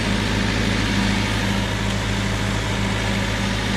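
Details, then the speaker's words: 1998 Honda Civic sedan, swapped engine that sat about a year, idling right after an easy first start: even, steady smooth low thrum holding constant, no stumbles or knocks. "There it is. She's alive. Look at that. Woo-hoo. Right away. Right away. Easy."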